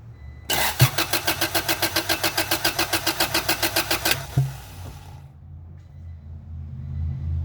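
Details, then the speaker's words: Acura/Honda Integra classic car that quit and wouldn't restart, cranking in the rain with a spark tester straight to the coil bypassing the distributor cap: starter turns steadily about four seconds without catching; no spark, ignition coil believed failed. "Well, I think I figured it out. I'm pretty sure it's the ignition coil. Not getting any spark."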